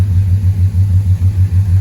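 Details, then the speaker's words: LS-swapped (6.0 LS tagged) Chevy Monte Carlo at a smooth, steady idle, deep throb about five per second with no knocks or misses; running well, gas pedal untouched today. "So, like I said, she's running real good. I haven't even touched the gas pedal either today."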